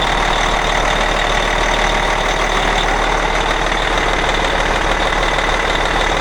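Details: Cat 657E scraper, Caterpillar C18 diesel after running out of oil from an air compressor failure; rebuilt with new timing cover, cam and idler gears, compressor, repaired oil pan, bearings checked: loud steady even idle, no knocks or misses, normal.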